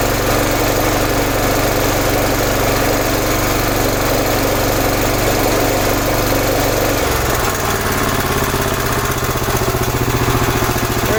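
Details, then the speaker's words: 11 hp Honda single-cylinder engine on an Emglo air compressor after carburetor and air cleaner replacement: runs steady and strong, beat deepening slightly as compressor load comes on, filling two tanks; runs clean and healthy. "That's how long it takes to get the air pumped up on that. There's two long tanks underneath."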